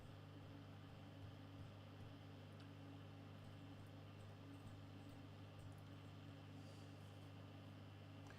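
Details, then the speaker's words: National Panasonic T-350 (KM) 1963-65 valve radio, all valves swapped, aerial fed straight into the 6A8, flickering dial lights: at full volume only a faint steady mains hum and soft static at the low end of the dial; weak output, cause unknown. "And you probably can't hear that, but there's static on it. You hear the static at the very low end, and as you go up a bit, it disappears there."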